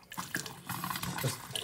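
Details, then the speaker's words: Tap running after fitting an anti-hammer spring tap washer: water splutters as trapped air clears, no bangs or knocks in pipes even when turned on or off slowly; water hammer fixed. "and there we go it doesn't matter how slowly we turn the tap on or off there is no pipe hammer anymore perfect"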